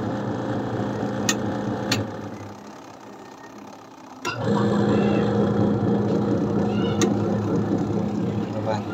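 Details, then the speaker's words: Washing machine whose wires were chewed by rats and whose motors and start components were damaged, after repair and a long test run: steady, even motor hum after a quiet start, no grinding or knocking; motors running normally. "vai ayun na nga mga idol na-testing na natin siya ng matagal"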